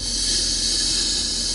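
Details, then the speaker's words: Car, brake pedal pressed and sinking: steady loud airy hiss unchanged throughout, quieting when pedal fully down; brake booster (servo) leaking vacuum, said to raise fuel consumption and idle speed. "سمعتوا الصوت اللي يحط السيرفو كيبدا فيه مشكلة، سمعتوه؟ هذا السيرفو نتاع الفرامل كيفاش يطشطش، كي ننزلوا على الفرامل، اسمعوا"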